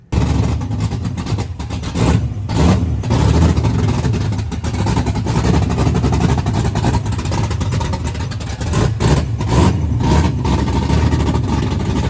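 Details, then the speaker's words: Fox body Mustang with 408W Windsor stroker, 12.5:1 compression, solid roller cam, first fire; loud choppy lumpy V8 blipping up and dropping back cleanly, firing evenly and sounding healthy though owner feels it needs more timing; normal free rev. "Woo! She sounds healthy."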